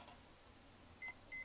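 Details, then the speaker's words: Mission 775 turntable, tonearm wiring after repair of creative rewiring: multimeter continuity test on left and right signal and ground leads gives clean high beeps, one short then two quick, confirming good connections. "looks like I always want to check these for continuity uh left signal"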